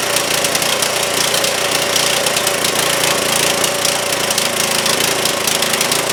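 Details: Trailmaster go-kart, Chinese Honda-clone single-cylinder, sat over a year, after carb work; buzzes fast and ragged without settling to even idle, runs only on choke, carburetor still off.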